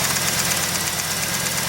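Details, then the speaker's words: 1989 Trans Am V8 idling on first start after 5-6 years sitting, new spark plugs fitted: uneven, loping beat with a missing pulse in the exhaust rhythm, one cylinder dead from an unplugged spark plug wire. "Hear that? I forgot to hook up that spark plug wire."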